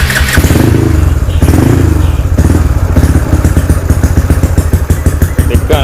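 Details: Freshly rebuilt Wave LED 59mm-bore, stroke-5 engine (4-valve head, 24/21 valves, manual clutch, HiSPEED parts), first start after assembly: catches and settles into quick even low popping idle, no knocks or ticks — healthy.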